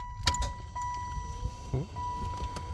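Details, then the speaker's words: 1996 Impala SS heater/AC blower motor that had stopped working, new PM131 replacement tested plugged in before mounting: thin, steady whine on low speed with some handling clicks, spinning smoothly without rubbing. "It's already on, low speed."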